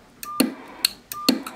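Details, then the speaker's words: Astatic Silver Eagle Plus CB base microphone with VOX and roger beep, after repair (bad solder joints fixed, erratic switches cleaned), keying a Cobra 2000: two key-ups, each a sharp click then a short, thin, quiet mid-pitched beep; the roger beep works. "the uh Roger beef's pretty lame but I expected that honestly"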